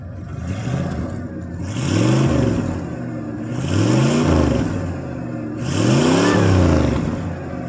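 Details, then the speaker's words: 1993 Ford F-150 5.0 302 V8, exhaust with 18-inch glass pack, no cats, 3-inch pipe into muffler, 2.5-inch tailpipe: three throttle blips rising and falling cleanly, deep even exhaust, not very loud, no knock or misfire; healthy. "it's not real loud it's got a like 18-inch glass pack on it with no cats it's got 3in pipe going in the muffler and 2 and 1/2 in tail pipe so it don't get real loud but it don't sound bad though for what it is"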